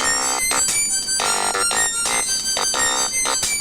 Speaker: second thing is that i think this is the worst sounding speaker i have ever heard in my entire life check this thing out [Music] listen that thing bottoming out